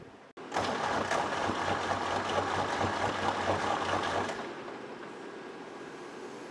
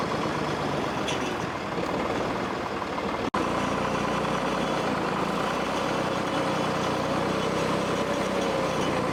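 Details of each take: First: 1964 Lamborghini R2 diesel tractor, no-start: starter churns about four seconds without catching; injector lines cracked to bleed air, fuel now reaching all three lines. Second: 1964 Lamborghini R2 tractor diesel idling steadily and evenly after priming a fuel pump that had run dry and bleeding air bubbles; humming along healthy, no stumbles or misses.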